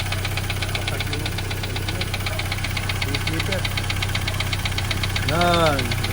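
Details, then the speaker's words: Mitsubishi Xpander noisy right after an oil change, idling: a steady light ticking at about four per second, timing chain slapping; very thick oil, possibly gear oil, was put in instead of the correct oil, and it will be drained. "Yan, yung ingay ng expander mga boss. Yan o. Timing chain. Ayan o. Diba? Mga palo."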